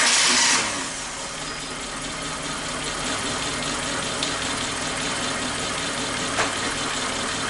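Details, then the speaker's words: Suzuki Katana engine idling with rpm raised slightly after cleaning and refitting the fouled number 3 spark plug; steady, even idle with vibration much reduced, all cylinders firing normally. "udah tidak seperti awal tadi ini sudah kecil getarannya"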